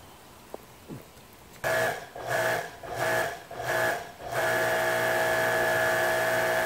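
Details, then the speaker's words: Electric Kärcher pressure washer, 10–20 years old, with intermittent motor noise when fully pressurized, worsened after hammering during repair: motor hum pulses then holds a steady whine, no spray, not sealing, won't shut off via the off button. "see the nozzle there's no water this thing is doing something all by itself i think if i hit the off if i hit the off button it doesn't shut off huh"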